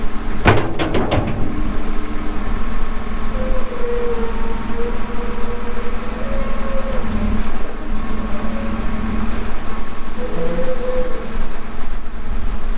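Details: 2014 Kawasaki 65TMV D2 wheel loader, pre-emissions Isuzu diesel, 149 hp, 7,671 hours, fired up for operation: brief clatter at start, then deep, steady diesel drone with even low rumble, no knocks or misses; starts and runs good.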